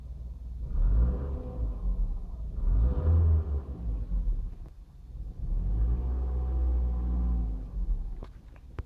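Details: Mitsubishi Lancer LX with CVT, light revs in park: a faint weird whine climbs and falls along with engine speed; the owner is unsure whether it also happens while driving.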